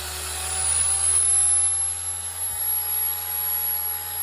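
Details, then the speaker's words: Chemical Guys Torq 15 DA polisher after spindle bearing replacement and gear grease change (bearings had failed, smoking and growing louder); on test without shroud it runs as a smooth steady electric whirr with faint light chatter, quieter than originally, normal running. "Quiet, it's smooth. I mean, you got your little vibration, a little chatter."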